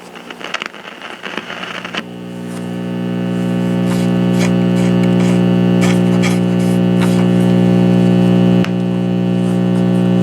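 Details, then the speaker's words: 1950s AA5 tube clock radio with Telechron clock, unknown maker, antenna wire disconnected: warms up into a loud, steady low hum with no station; bad filter capacitors, volume control possibly bad too. "Clearly have bad filter capacitors, so let's get the chassis out and see what's happening."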